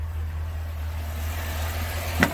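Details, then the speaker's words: 2004 Chevrolet Silverado 2500HD 4WD 6.0-liter V8, after a shorted spare box was swapped back to the factory one: low, even, smooth idle rumble with one brief click; running with throttle restored. "We figured it out. It's running now. It's got throttle."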